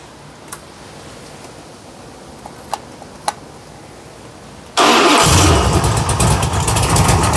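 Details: 1956 Chevy V8 with new mufflers, water pump belt off and temporary fan setup: quiet, then fires straight into a deep steady exhaust rumble, starting and idling cleanly.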